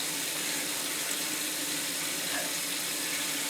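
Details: On a toilet that kept flushing by itself, with the earlier drip gone, a steady hiss of water rushes evenly into the tank with no drip or sputter; the fill valve is refilling normally.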